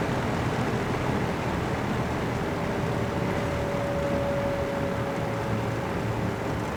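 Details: Vintage all-metal Kmart box fan, dirty flea-market unit, on high speed: steady whooshing air rush with faint even motor hum, no rattles or ticks; running normally.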